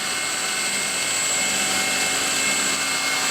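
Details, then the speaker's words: Near-new alternator bench-tested, belt possibly a tad loose causing some losses: smooth, steady high whine over constant airy fan rush, no rattle or grinding; working well. "My belt's probably a tad loose, so I'm going to have a bit of losses here."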